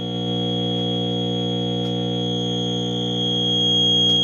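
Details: Breadboard #42 tube amp with #75 stage: steady buzzing tone, high whistle over low hum, unchanging; output noisy, jumpers and missing shunt caps suspected as noise source, not confirmed.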